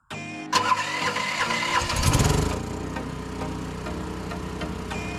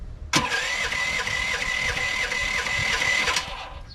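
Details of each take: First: LS15R mini excavator converted to tri-fuel with a Motor Snorkel kit, first start on propane: short crank that needs prime, then catches quickly into an even, steady idle with no misses; running fine. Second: LS15R mini excavator small engine during tri-fuel conversion: with the gasoline shut off, it runs steady and busy for about three seconds, then cuts out abruptly as the carburetor runs dry.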